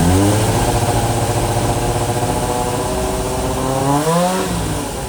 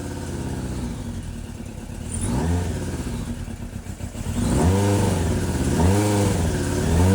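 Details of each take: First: Suzuki GSX600F Katana four-cylinder with rebuilt carbs set 4 turns out, aftermarket exhaust and a freer-flowing air filter, after earlier racing at idle and overcharging: steady, even idle with a brief rev rise. Normal idle, allowing an initial carb sync. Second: Suzuki GSX600F Katana four-cylinder with rebuilt carbs, after replacing intake boots: hangs at a raised, hunting idle between blips instead of dropping; owner suspects an air leak elsewhere; lean idle mixture.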